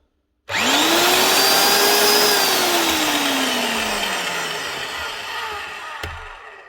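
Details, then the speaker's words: Old Evolution Bora 2800 magnetic drill after new bridge rectifier, rewiring and a makeshift cover plate: motor spins up quickly to a steady high whine, holds even, winds down smoothly after switch-off; a bit rough but works. "that's her one old Evolution magnetic drill up and running again she's a bit rough"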